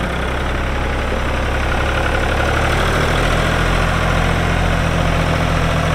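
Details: 1999 New Holland TN65S 4WD diesel tractor, 8-speed hydraulic shuttle, NH 33LA loader, 4,162 hours: even, steady diesel clatter at idle with constant deep rumble, no extra knocks; hydraulics strong, engine sounds good — normal idle.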